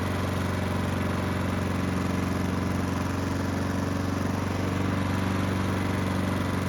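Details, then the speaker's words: Honda walk-behind mower, single-cylinder, fully hot after several minutes of running, after the carburetor work done to fix surging; even, steady drone with no surging. "So the engine's been running for several minutes and it should be good and hot."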